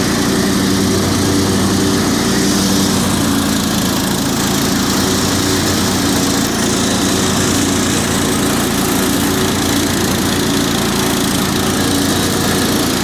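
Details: Cub Cadet 2130 garden tractor, revived after a fuel pump replacement, carburetor rebuild, choke and brake-switch wiring fixes; cold, about 35°F, in neutral at part throttle; smooth even single-cylinder beat, transmission/clutch whine, no knocks or misses; normal running.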